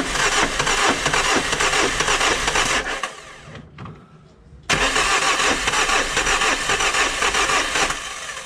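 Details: Diesel being tested after difficult glow plug removal, glow relay checked good with test lamp: starter spins with uneven lurching rhythm, three to four beats a second, never catches; cranks but won't start, cause unconfirmed.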